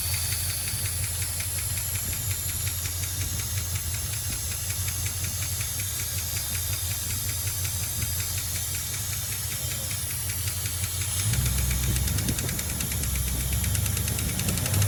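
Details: 1976 Dodge Dart 318 V8, mileage unknown, idling after the valve cover was pulled to look for the cause: steady idle with fast light clacking that grows rougher, still not improved; owner suspects a collapsed lifter or valvetrain fault, maybe cam, lifters or springs.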